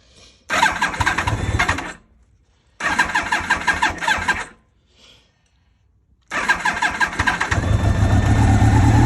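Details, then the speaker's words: 2000 Yamaha R1 (5JJ) with dead battery swapped for a known-good one, choke on: three bursts of fast starter whirring, engine turns over but won't catch; crank, no start. Owner suspects dirty carbs; it had started before. "Sure, these carbs need to be clean because she ain't starting. She started up before though, so. Oh, maybe not."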